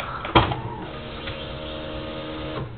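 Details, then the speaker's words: Honda DC2 that won't start, battery nearly fully charged: click at key-on then steady electric buzz about two seconds that cuts off cleanly; fuel pump priming normally, but engine still won't start. "fuel pump primed up and that's all it does"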